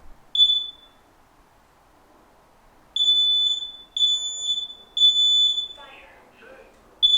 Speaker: there are some combination alarms like this one that speak in between each sequence of beeps indicating either a fire alarm or carbon monoxide alarm